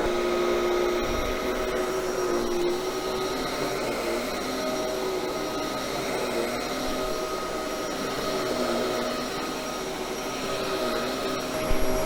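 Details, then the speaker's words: Bissell 1306 Multi-Cyclonic swivel upright vacuum after cleaning maintenance: steady even motor whine with constant airflow rush, no rattles or pitch drops; motor running better, normal. "actually sounds like the motor is running better too much better"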